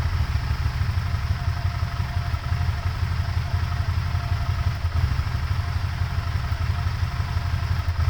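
Low, uneven idle that wobbles and stumbles instead of holding a smooth beat; rough idle, cause not pinned down.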